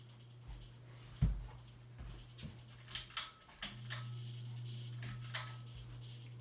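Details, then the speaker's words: 42-inch Hampton Bay Landmark III Plus ceiling fan (2019 remake) on medium speed: a constant low electrical motor buzz under a few handling knocks. The buzz is also there on low and is loudest on high. "Probably hear the buzzing noise it makes, but gets even worse on a medium and high. High is its loudest speed."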